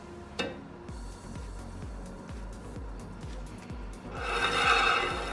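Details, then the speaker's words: Rikon bandsaw during blade change and setup: guide bearing set too close rubs the blade with a rhythmic swish, two or three a second, which will prematurely wear the bearings; backed off slightly to fix. "See, that's too close. You can hear the bearing. It's gonna premature wear your bearings out."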